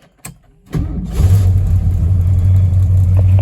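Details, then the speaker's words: 1973 Ford Mustang Mach 1, Holley 750 CFM 4-barrel carburetor, cold start with choke on: brief crank, then settles to a steady fast idle around 1,300 rpm on the high-speed idle cam, still rising; healthy. "Coming off, the carburetor is still sitting on a high-speed idle cam, and so it'll keep increasing to a certain po"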